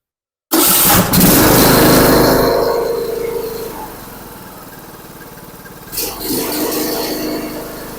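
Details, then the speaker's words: John Deere LA125 riding mower, after replacing the cracked, flooding carburetor, still on the old plug: fires up and runs steady and even with a clean throttle blip; the old plug may be fouled. "off well that runs so much better I'm still going to put a plug in there cuz I think the other one might be getting foued out all how rich it was"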